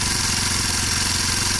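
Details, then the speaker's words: Kawasaki KLX 230 single-cylinder idling at an estimated 1800–2000+ rpm. A fast, even, noisy patter with no dip, well above a normal idle. The engine also runs very hot. High idle speed. "Suara mesinnya berisik banget ya. Dan idle-nya atau langsamnya ini tinggi banget RPM-nya."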